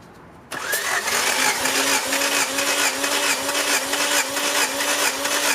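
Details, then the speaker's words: 1990 Honda Civic Si, engine warm, compression test while cranking: starter spins the engine with an even, steady beat of about two pulses a second, no drop-outs; cylinder one about 160 psi, the rest around 150, so compression is normal. "152 ish good 149 ish so the compression test seems okay so number one 160 the rest right around 150 it's not too much of a variance from them but I don't think compression is the issue"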